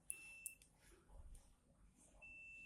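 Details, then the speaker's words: Polytron CRT TV that is completely dead with a whining noise inside: multimeter continuity/buzzer test on the horizontal output transistor gives a steady high beep, repeated after reversing the probes, meaning the transistor is shorted/broken. "kita tes Ini dia akan bunyi Ya Itu menandakan bahwa transistor ataupun patin Ida konslet ya ataupun rusak"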